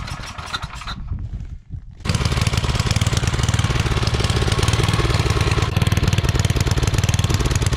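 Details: Coleman Powermate 5000-watt generator, sat a couple years, after oil change, fresh gas, cleaning and new fuel line clamp: single-cylinder engine chugs at a slightly uneven beat after a brief stumble; running weak, cause not pinned down.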